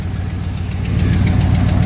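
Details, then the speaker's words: 1975 Ford F350 body on 2004 Cadillac Escalade 6.0 V8 AWD chassis, first start after sitting years on old gas with boost: rough steady idle with sharp tick each pulse on one side; owner suspects exhaust leak, otherwise running smooth. "After got an exhaust leak over here, it sounds like. So that's fine."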